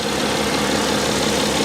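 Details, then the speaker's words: 2012 BMW X5 3.0 diesel AWD, warm idle, no fault codes: even, fairly quiet diesel idle with smooth soft clatter, no knocks or misses; healthy idle. ">> It doesn't sound like a diesel, though. >> No, it doesn't. >> It doesn't. It There's no It's so quiet."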